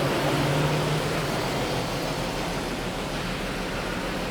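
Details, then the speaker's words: XG Ford Falcon ute idling after a fix: a steady, even idle hum with a smooth low rumble and no rattle; the earlier rattle and power steering whine are gone after power steering fluid was added, though an engine mount is suspected worn. "i can't hear it no more yeah way better so much better sounds sounds fine"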